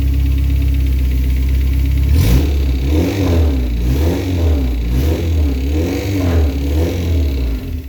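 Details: Honda K24 engine revving with a low uneven rattle and clatter rising with revs; suspected timing chain noise despite the tensioner being replaced with a Hybrid-Racing unit, cause unconfirmed.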